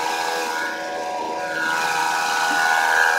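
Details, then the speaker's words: 2008 Mazda 6 i 2.3L four-cylinder, heard through a listening tool at the alternator: steady high-pitched whine with a rough edge, first mistaken for power steering pump; worn alternator bearings, alternator to be replaced. "so it sounds like a power steering pump that's what I thought first and of course it is making some noise but it should is power steering pump but be going the alternator oh yeah"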